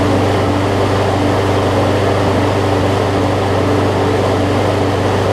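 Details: About 15-year-old John Deere JA62 push mower with Briggs OHV engine, after cleaning a carburetor gummed up from sitting: restarts warm, steady even drone, no misses or surging; runs cleanly.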